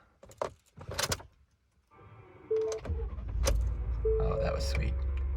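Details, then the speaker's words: Ford F-150 after battery upgrade from 700 to 850 CCA, which fixed hard starting with clicking and shaky gauge needles: clatter, brief crank, immediate catch into steady low idle with no stumbling; normal start and idle. "No shaky needles. Immediate start. Okay, that feels like the answer."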